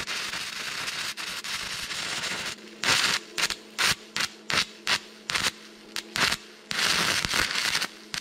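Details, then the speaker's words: Stick welding test at 60 A, rod box rating 60–90 A: arc crackles in short bursts and keeps dying, never steady; amperage too low, hopeless. "Proovime 60... vaatame mis saab See on lootusetu..."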